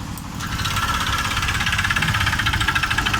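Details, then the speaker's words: Honda Vario 125 (old model) scooter with the CVT roller housing disabled to isolate the noise: rough, rapid metallic knocking about three per second over the idle, pointing to a worn connecting rod (stang seher); piston also suspected. "ini terdengar suara sang sadar kalau dari suara disini milik sang striker"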